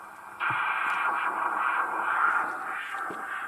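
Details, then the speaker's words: Trio 9R-59D receiver at first switch-on, gain and volume full: thin hiss with faint static crackles and no stations, and the IF is also weak. Owner suspects a shorted tuning capacitor. Deaf receiver with weak reception. "I'm not getting anything at all any bit of a RF noise what I will do is I'll just do it tonight on IFC but it's very deaf"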